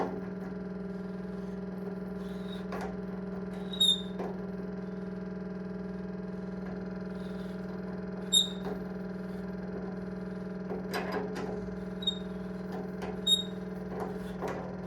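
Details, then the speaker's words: Apartment radiator thermostatic valve with lockshield fully open, steady low buzzing chatter with small squeaks as valves close under sun, too high differential pressure; closing lockshield with 10 mm Allen key to reduce flow stops it: thermostatic radiator valve chatter. "Donc on l'entend, c'est bruyant. Donc là on voit qu'au niveau du T de réglage il est ouvert à fond."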